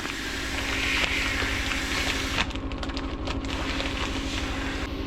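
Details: Tofaş Şahin that won't shift or disengage, engine running: uneven rattling clatter that changes as the clutch pedal is pressed; clutch release bearing has broken up and the clutch guide tube is cracked, before replacement.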